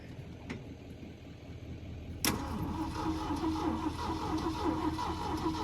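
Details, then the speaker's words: Auction-bought engine with a newly fitted battery, wired on without tools: starter clunks in, then even churning crank at about three beats a second that never catches; no fuel supply, fuel line found broken off the fuel pump. "It turned over. All right, it turns over. So, what we need to do is get some good fuel to it."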